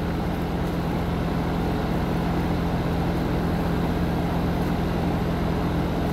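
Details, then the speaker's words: Heat pump outdoor unit just after replacing the start and run capacitors: steady low compressor hum with constant tone and fan whoosh, smooth and unbroken; compressor and fan running normally, cold air at the registers. "so all right so the sides closed up we can tell it's working because we can hear the compressor running"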